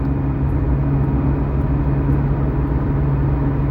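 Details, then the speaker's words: 2012 Toyota Camry with 145,000 miles, driving above about 40 mph: deep, steady droning rumble from the rear under road noise, traced to a worn rear wheel bearing on one side, later replaced with a Moog hub. "this Camry is a 2012 with 145 000 miles on it and you can hear a rumble sound"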